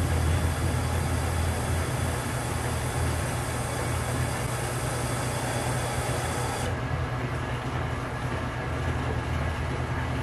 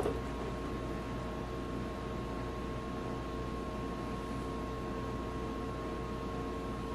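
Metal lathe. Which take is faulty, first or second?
second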